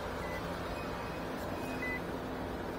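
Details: 2017 Nissan Rogue, newly replaced blower motor tested from passenger side with engine started: even steady air whoosh and constant low hum under the idle, no squeal or rattle; normal blower motor operation after replacement.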